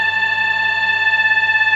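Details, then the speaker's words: Microwave oven: loud, steady, high-pitched buzzing hum that starts to pulse slightly, caused by a worn turntable (swing) motor. "इस तरीके का sound आ रहा है तो अगर इस तरीके का साउंड आ रहा है तो आप उसको कैसे ठीक कर सकते हैं"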